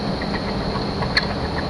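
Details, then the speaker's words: 1998 Chevy Suburban, first start after sitting 8 years without pre-oiling: a light, regular knock over a rough idle with sharper clacks. Owner suspects a bad main bearing. Engine knock. "that did not sound good at all sounds like bad mane bearing guys it's bad it's real bad"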